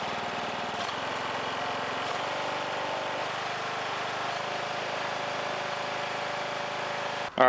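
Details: Old Husky mower whose carburetor was cleaned after stale fuel stopped it starting, now on fresh gas: small single-cylinder engine at a steady, even beat with no misses or hunting; running normally.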